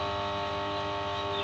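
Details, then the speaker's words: New star-delta starter panel under test, MNX 110 contactor: the phase-neutral coil contactor hums with a steady buzz, never pulls in cleanly, and ends in a click. Coil voltage is low because the neutral is not connected properly. "ये देखिए इसमें भी humming है। ये face neutral वाला है। इसका सही से नहीं मिल पा रहा है न्यूट्रल।"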